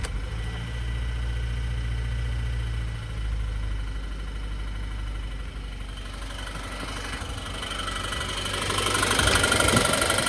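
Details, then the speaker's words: 2014 Subaru Forester XT 2.0 turbo FA20, 130,000 miles, stock: steady idle hum then a regular knock about four per second growing louder with throttle; no codes, still full boost; spun rod bearing. "only hear it when you push on the gas pedal. No codes. Still making boost."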